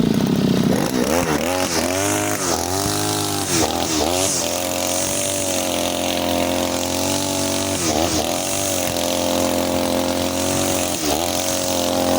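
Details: Side-mounted two-stroke brush cutter with nylon line, factory carburetor mixture screw too loose, as on new engines: short revs then burbly, blubbery high speed without a crisp scream; rich, fuel-hungry and weak under load.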